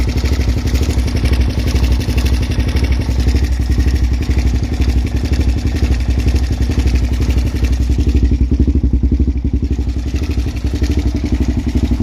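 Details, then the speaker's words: Suzuki LTZ400 quad, bought cheap, first running: single cylinder thumping at ragged idle with steady top-end clatter and lots of smoke; owner suspects valve chatter and worn rings, not confirmed. "all right so definitely has a lot of chatter up here um it's also blowing a bit of smoke"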